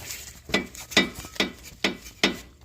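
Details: 2012 Mazdaspeed 3, wheel off, front end worked by hand: five sharp metal-to-metal knocks about 0.4 s apart, heard over bumps on both sides; traced to the rack and pinion, grease leaking from the tie-rod boot; rack and tie rods being replaced.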